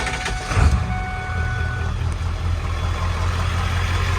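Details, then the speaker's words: 7.3L Powerstroke diesel warm after morning driving, idling normally after replacing a faulty new ICP sensor that caused hard cold starts; steady even diesel clatter, no misses. "it's warm i've been out kind of running around this morning and you can hear a warm idol and then i will play the footage of the cold idol"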